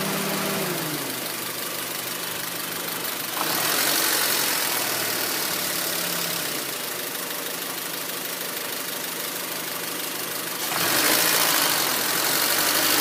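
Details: 2004 Honda Civic LX (7th gen), warm engine: low, uneven idle with a pulsing, lumpy beat and surging revs; rough idle, low RPMs and stalling in traffic; O2 sensor suspected, IAC valve also suggested, unconfirmed.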